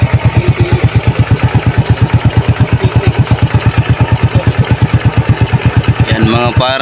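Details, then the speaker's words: Honda XRM 125 single-cylinder motorcycle after repair of a loud engine ticking: crisp, even thumps roughly three per second, no rattle on top; noise gone, clean normal idle. "par, nawala na po yung ingay sa motor ni sir."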